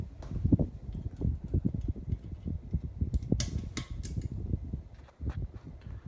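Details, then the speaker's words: Casablanca Delta II ceiling fan from 1988 on medium speed, also with the light off: quiet hum broken by irregular soft ticks and clacks a few times a second; owner suspects it needs oil. "also if you guys can hear that it makes a little bit of a sound on a medium the fan might need some oil more WD-40 one of those two"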